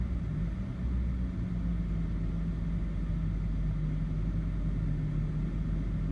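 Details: BMW E60 530i petrol six with rough idle that dies after start: an uneven, lumpy low rumble with a wavering beat at idle, traced in an update to a faulty MAF sensor.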